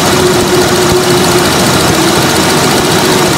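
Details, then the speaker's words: Petrol engine idling, screwdriver held on a fuel injector and against the camera mic: an even, consistent ticking as the injector needle opens and closes, the normal sound of a working injector. "all right so hopefully you guys were able to hear the ticking but uh if you weren't you're basically looking for a consistent ticking sound"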